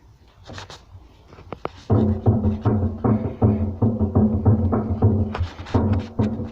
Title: Hotpoint WM74 Bearing knocking noise